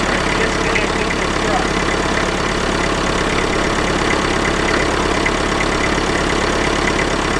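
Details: IMT 560 tractor diesel after a temporary electronic fuel pump install, with pump pressure about 3.5–4 psi. Steady clatter holding an even idle with no misses or surging. Running smoothly.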